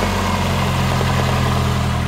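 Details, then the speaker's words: 1997 Urban Interceptor GO-4 three-wheeler, Mazda 1.3 L automatic, after new wiring to injectors and intermittent fuel pump: steady, even idle, no misses, knocks or ticks, running on all four cylinders. "runs really good sounds nice no knocks no noises running on all four customer is gonna be very happy"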